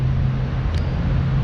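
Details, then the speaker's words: 1996 Oldsmobile Aurora idling after shorting alternator replaced (battery had sparked excessively); steady, even low hum, no misses, ticks or knocks; owner says everything's good; normal smooth idle. "Got the Aurora running. As you can hear, she's running. Everything's good."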